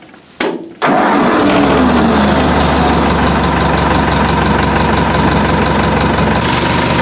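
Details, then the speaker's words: Old Ford 8N tractor after oil change and new starter: brief crank, quick catch, then steady even low idle, no knocks or misses; normal start and idle. "all that's left to do is fire it up with my shiny new starter make sure we got oil pressure we'll let that canister fill up"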